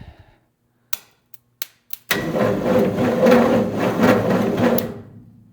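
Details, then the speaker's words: 1967 Ford F-100, 240 inline-six. After replacing a deteriorated original starter wire, a few clicks, then the starter turns the engine sluggishly, under two turns a second, without catching: weak, slow cranking. "cranking a little slow, but that'll work."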